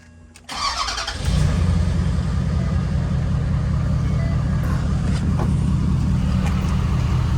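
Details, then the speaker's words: Ford F-250 6.7 L Powerstroke diesel after oil change and CAT oil filter conversion: quick crank, catches within a second, then steady smooth idle with no ticking or clatter; healthy start. "no clickety-clack like I hear a bunch of people saying that they get smooth real smooth"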